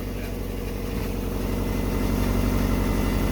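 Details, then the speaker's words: Subaru Forester at idle with freshly welded unequal-length headers and stock exhaust: lumpy, uneven burble pulsing about four times a second; normal healthy boxer rumble from the unequal-length headers. "sounds good honestly stock exhaust with the unequals it doesn't sound bad it gives it that Rumble you want"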